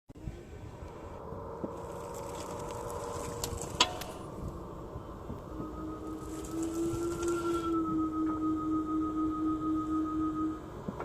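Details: Tesla Model Y at about 1500 km: one sharp knock over a low electric hum when braking after switching between D and R, once per direction; service center confirmed a loose brake pad in the caliper and replaced it.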